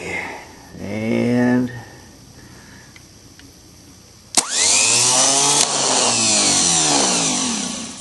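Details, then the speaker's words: Brand new Duralast starter for a 1981 VW diesel pickup, bench-tested on the ground with jumper cables on the solenoid: a sharp click, then a smooth rising whir that holds steady and winds down evenly; spins freely and healthy. "all right this is a brand new Duralast starter and it works pretty good on the ground here"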